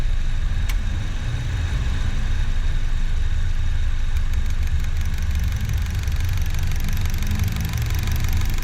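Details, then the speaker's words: Car on 5th-generation CNG system with sequential injector rail, idling on CNG: fast light ticking about four per second over steady idle rumble, silent on gasoline; worn injector-rail pistons knocking, expected to worsen over time. "e eu também sei é o problema do barulho da galeria dos injetores então agora vou deixar até o carro tá ligado vocês vão ouvir o barulho dela é tão ouvindo barulho"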